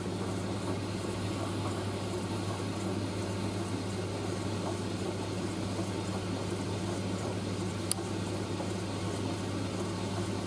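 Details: Indesit IS31V 3kg compact reversing tumble dryer drying a load including a cover, drum reversing about every 70 seconds to stop tangling, before final cooldown; steady even low hum with soft tumbling rustle, no knocks, scrapes or squeals, sounding healthy.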